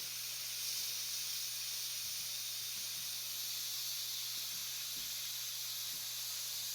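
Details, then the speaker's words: Propane transfer from a 20 lb tank into a 1 lb cylinder, which was not chilled. A steady high airy hiss at the fitting with a faint low hum behind it is normal during filling and stops when the cylinder is full. "go ahead now and open up the valve you will hear some hissing that is normal so what's going to happen is once it gets to the point where it's filled it's going to stop hissing"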